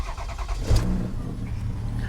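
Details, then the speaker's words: Toyota Sienna with 530,000 miles, a Copart van needing a radiator and coolant: it cranks a while before catching, then settles into a steady low idle with no misfire. It starts normally. "Took it a minute to fire up. But you can hear it start up just fine. Starts fine. It runs well. It's not misfiring or anything."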